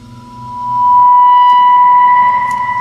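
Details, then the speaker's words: Hammond D-152 organ reverb: when the drive signal is plugged into the spring reverb tank, a pure steady howl near 1 kHz swells within a second and holds. Holding the springs prevents it, so it is acoustic feedback through the tank, not a simple short. "feeds back. Now it's not an electrical type feedback because if you hold the springs and plug it in, it doesn't do it."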